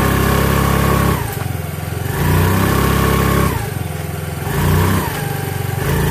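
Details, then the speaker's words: Mio Fino scooter after fitting a new MRP clutch bell: revs up and settles in smooth repeated cycles, no rattle or scrape from the CVT side; drive works fine, though the carb runs rough. "Yan po. Okay na po siya."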